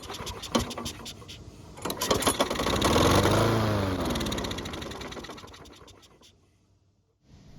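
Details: Bolens lawn mower that won't start reliably: after priming it catches, fires unevenly for about four seconds, then dies. The priming system shows no fuel reaching the carb, and the air filter base gasket is cracked, causing an air leak.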